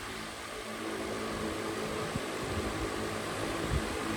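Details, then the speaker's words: Unitedstar 24-inch high-speed industrial ceiling fan on high speed: steady airy rush with a low hum, even and smooth; the earlier ticking is gone, suspected to come from a plastic nut. "But yeah, it runs really, really nicely, as you can see. As you can hear, the ticking noise has gone away."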